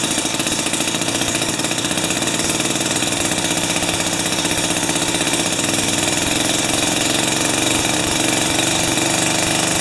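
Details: Jiffy 30 3HP two-stroke ice auger on 30:1 fuel, after repositioning the carburetor diaphragm: steady buzzy note at even speed, no stumbling; runs properly, though it still backfires at full rpm.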